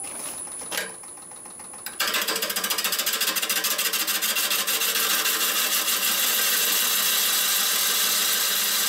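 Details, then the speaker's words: Maple burl bowl being turned on a lathe, about an eighth of an inch per pass: interrupted once-per-turn ticking settles into a smooth, continuous hissing cut, showing the surface is now flat. "I'm taking out about an eighth of an inch there you can hear there's a totally different sound is a more continuous cut therefore that shows me and if I look at the profile profile that shows me and I can hear and feel that the piece is flat"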